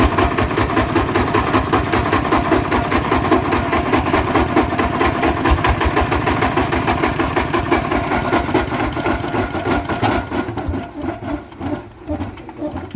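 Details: Bluebird small engine before repair: rough, shaking thump on every stroke with uneven pulses, then stumbles down, like a broken bearing; worn, loose flywheel-side crankshaft bearing.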